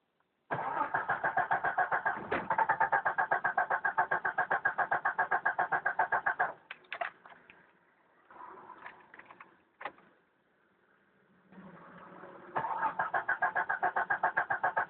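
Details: 1992 Jeep Cherokee 6-cylinder petrol, first cold morning start at about 24–26 °C: starter cranks with an even beat near four per second for several seconds, pauses, retries, never catches; extended cranking, no start.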